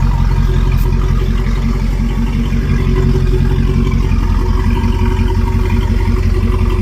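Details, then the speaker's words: 1971 Rover P6 3500S V8 US export, first start after fuel pump replacement with fresh fuel: even low burble, steady firing rhythm, no knocks or misses; sounds good, normal idle. "Well, I couldn't wait. So, I went ahead and got some fuel. Let's give it a try. Sounds good."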